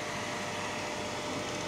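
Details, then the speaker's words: Hazer Unique 2 haze machine being repaired for error E-8 (non-working air pump), switched on and activated: steady, even whooshing hum, no knocks or rattles, as the air pump runs normally and bubbles circulate. "teď už jede vzduchová pumpa je to vidět že se že se tam obíhají ty bublinky Už to začalo fičet"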